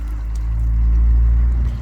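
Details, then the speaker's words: Old Beko washing machine drain pump run outside, water poured in by hand and pumped up in pulses, sound resonating through a bucket: steady low hum with a booming echo, normal characteristic drain pump sound. "Now it comes up in a pulse, for, like, not a steady flow for some reason, but it's been poured in like such, and you can hear the pump actually working, being resonated, echoed through this bucket. So that's the characteristic sound of the pump."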